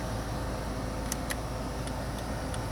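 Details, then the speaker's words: 2001 Ford Taurus after replacing the turn signal/hazard relay with the original part: crisp light clicks about two to three a second over the engine hum; flasher working normally, like the original. "Okay, that's the way it is supposed to sound, and that's the way they're supposed to work."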